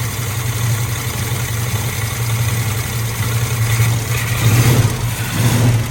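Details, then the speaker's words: Squarebody Chevy carbureted V8 running low and uneven on fuel poured into the carb. The mechanical fuel pump isn't feeding it and the filter filled then drained back, so the pump is judged bad and due for replacement. "Yeah, fuel pump ain't pumping. So we'll have to throw a fuel pump on it."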